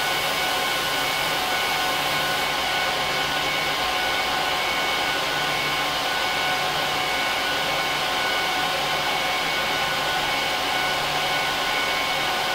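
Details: HP ProLiant DL380p Gen8 server (24×4GB DIMMs, eight 300GB 10,000 rpm drives in RAID 5, both PSUs, no cards) during POST/boot: loud, even rushing whoosh with faint steady whine tones, no rattles or pulsing; fans flat out at startup, normal.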